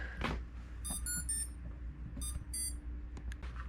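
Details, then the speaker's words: Homebuilt blimp-drive electric paramotor, T-motor motors on first spin-up, Arduino not yet programmed: short high ESC beep tunes repeat every second or so over a faint hum as the controller keeps re-initializing. Cause not confirmed. "then it reinitializes every now and then which isn't great yeah there we go shouldn't be doing that"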